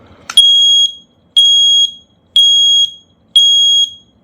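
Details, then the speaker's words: Tuya Wi-Fi smoke and carbon monoxide detector, test button held about 15 seconds to enter pairing mode: loud piercing high beeps, about one per second with clean gaps, plus slight chatter; test alarm sounding. "So be warned, really loud noise will come. And we hear now a bit of chatter from it."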